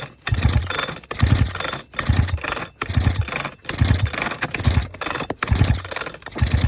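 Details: Vintage Sachs Dolmar 112 chainsaw, coil upgraded to electronic after weak spark: slow, uneven pull-cranking about once a second with weak, soft chuffs and no firing; low compression.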